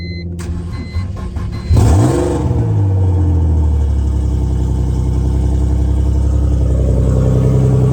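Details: Big-turbo BMW E46 on a new tune, jump-started off a dead battery, open downpipe with no exhaust; starter churn, catches at two seconds, flares and settles into a steady, even low idle with no misses.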